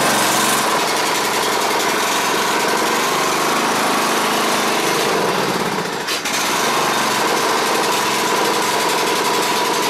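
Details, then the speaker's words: Exmark Viking mower engine after fitting the forgotten fuel pump pulse line that had starved the carburetor: steady, busy note at even speed with no misses or knocks; normal running. "all right well i got the oil drain on this thing ran pretty good"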